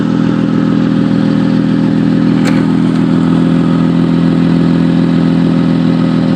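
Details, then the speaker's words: Newly bought car with broken resonator ahead of the catalytic converter; loud, raspy motorcycle-like drone at steady fast idle. Seller suggested catalytic converter, but resonator found bad. Exhaust leak. "all right guys what you're looking at it's a broken uh uh resonator and so i just bought this car and it is making a uh a lot of noise sounds like a motorcycle or something"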